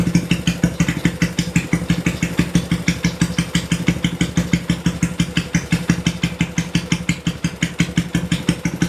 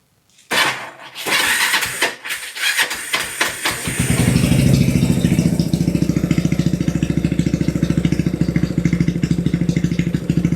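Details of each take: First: Ya, tadi teman-teman sudah mendengarkan ya, ketika pertama sekali motor ini dinyalakan, itu RPM-nya tuh terdengar tinggi, brrrr gitu ya. Lalu setelah beberapa detik, dia baru mulai turun dan mulai stabil di RPM yang idle, ya artinya di posisi langsam. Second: Kawasaki Binter Merzy after fitting a pilot jet two sizes smaller: a few cranking bursts, catches fast and RPM drops quickly to an even, steady idle, much faster than before; less exhaust smoke, mixture improved.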